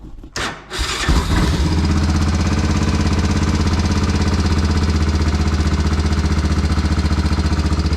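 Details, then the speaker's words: 1990 Honda Foreman FourTrax 350 ATV on a cold start: it catches after a brief crank and idles with a light, steady tick on every beat. The engine ticking persists and its cause is not pinned down. "And that's a cold start. I don't know if you can hear that or not. That's still ticking. So you can kind of hear that tick at first there."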